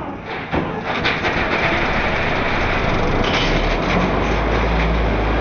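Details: Car engine run deliberately without oil and sump, bearings assembled dry: hard rapid clattering knock, roughly four a second, over rough running; crank bearings failing from oil starvation.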